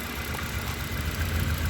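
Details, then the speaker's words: Honda CB7 Accord with a G23 VTEC engine, after changing to OBD2 injectors and plugs: low idle with an uneven, stumbling beat as one cylinder drops out; the injector now in cylinder three has failed, causing a misfire. "so with these set of obd2 injectors in here we now have one over here that's moved to number three is now gone bad"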